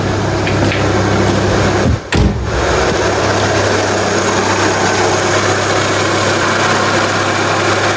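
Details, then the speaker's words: Renault Scenic 2004 1.6 L petrol after intake manifold removal and broken MAP sensor replacement: low steady hum, stable RPM, no hissing, leaks or hunting; normal idle; warning lights only from repeated battery removal. "engine is either normal without any problem no hising sound or like that no leaking and the RPM is stable no weird noising so yeah"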